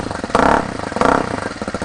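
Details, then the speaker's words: 2019 RPS Hawk DLX 250 fuel-injected counterbalanced single, new, first start after assembly: crisp, even beat with two quick throttle blips, no knocks or rattles; healthy fresh engine. "Sounds mean. Yeah, don't sound bad."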